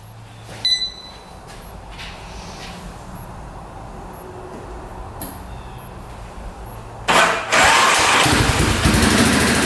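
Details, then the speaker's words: 2002 Yamaha Warrior 350 single, first start after sitting, carb cleaned, fresh oil, on a charger: cranks, catches and revs loud, rough-edged but steady; runs pretty good, smoking, mouse nest blown out of the exhaust pipe. "Wow, runs pretty good."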